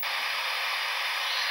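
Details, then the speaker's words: Panasonic CT-101 1.5" colour TV under repair, while probing connector pins with a meter: a sudden, steady, even hiss with no tone or rhythm as the speaker comes on, raster appearing; cause still unknown. "Did you guys hear that? What did I do there? That speaker just came on."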